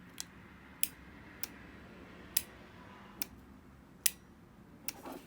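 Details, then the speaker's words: Used Mercedes S/SL/SEL fuel injector bench-tested with a power probe applying voltage: sharp, crisp single clicks at irregular intervals, about seven in five seconds; injector opens properly and movement is felt. "don't know if you can hear that as opposed the click from the injector as opposed to the click from the button but it is uh clicking the injector is clicking"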